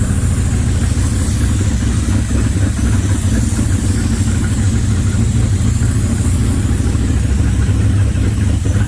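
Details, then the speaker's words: BMW E65 735i V8 first start after engine swap, no exhaust fitted: rough, loud idle with no smoke and a faint hiss under the drone, a vacuum leak heard, to be checked later. "No smoke whatsoever. It's pretty working. Apparently the new engine is working. No smoke, nothing. We have a vacuum leak because I can hear that."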